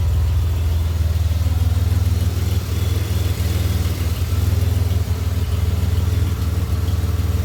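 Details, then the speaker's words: 2007 Pontiac Grand Prix V6 after valve seal failure and reman heads with stainless valves, warm idle near normal coolant temp (180 thermostat); even rumble, lifters/rockers slightly noisy, no longer burning oil off, exhaust leak audible. "not burning anything off the power logs anymore they're like the lifters or the Rockers are just a little bit noisy sounds good"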